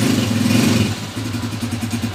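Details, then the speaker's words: TMX155 motorcycle engine after repair of a persistent engine noise that earlier timing gear, tune-up and rocker arm replacements had not cured: short, even note rising and settling, no ticking over exhaust pulses; noise gone, only carburetor tuning left. "Ayan na mga kabro. Wala na yung maingay."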